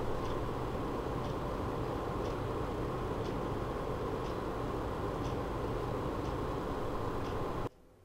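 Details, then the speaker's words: EK-XRES 140 Revo D5 PWM water pump at 50%, about 2400 rpm, PC idling with fans at 40%, microphone about 20 cm away: steady low hum with a faint soft tick about once a second. Normal running. "now we set it to mm 50% 2,400 toys 50% so now it's running on um around 2400 up and down as you can see on cpuid so now you will hear it for 10 seconds"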